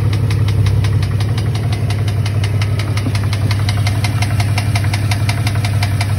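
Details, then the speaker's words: Driving with window cracked: sharp regular knock about three per second over engine and road noise, speeding up with road speed; owner first thought lifter, now suspects something tire-related. "it really does i thought it was a lifter up a little bit and it speeds up so it's something in my eyes it's something like that has to do with the tire if i'm not mistaken"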